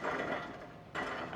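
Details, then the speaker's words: BMW E92 M3 V8 that sat for years, hub spun by hand with rotor off: dry gritty rasp in two bursts fading as it slows, no play felt; worn wheel bearing. "definitely needs a wheel bearing it's still tight doesn't feel like there's any play but that sounds awful so even more parts to [Music] order one side"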